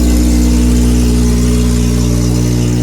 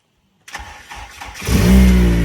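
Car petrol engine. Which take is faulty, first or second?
first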